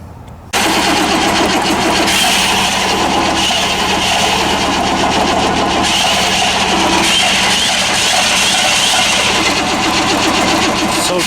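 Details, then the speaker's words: Plow truck no-start, 150 psi compression on some cylinders, corroded coil; owner suspects weak spark from the coil, also wonders about gummed injectors from bad fuel: over ten seconds of steady cranking that almost catches but never runs. "So anyways, I think we just have a weak spark because of this coil, and I got looking at it and I'm like, gosh, that looks an awful lot like that stupid Jimmy I got."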